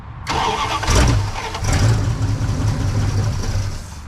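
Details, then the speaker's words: Junk Dodge Ramcharger V8, third start attempt after a starter change, gas added: starter churns steadily with a few weak puffs, never runs; no fuel getting to the engine, though it was verified to run. "I think I found the problem we have no fuel getting to the engine but we verified that it runs"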